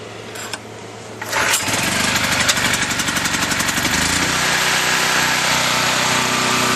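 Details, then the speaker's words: New portable camping generator, first start after fresh oil, choke on: engine catches on first pull once switch turned on, settling into steady even run with no misses or knocks; normal start and idle. "okay as you saw it started with the first pull once I remember to turn the switch on"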